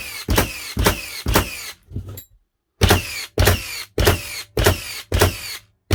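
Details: Second-gen Hikoki NR1890DCA cordless first-fix nailer in bump mode on a 2Ah battery, fired indoors: sharp, crisp shots about two a second, a short pause, then another even run; each drive full and clean, working properly.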